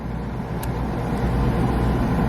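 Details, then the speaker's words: Home boiler fired by jumpering the TT thermostat terminals: steady low roar builds slightly and holds evenly with no sputter or pulsing; burner operating normally. "As soon as I take this jumper away here, well, we'll let it fire for a second. There we go. She fired."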